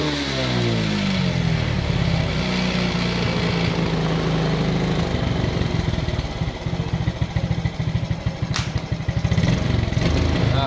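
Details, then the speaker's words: Smash motorcycle with original regulator fitted: small revs with stumbling, uneven beat and spluttering at initial throttle; misfire traced to a battery no longer holding charge. "Nah masih berempat di awal jadi di awal gas berarti memang ada masalah dengan aki ya akinya yang sudah tidak bagus ya"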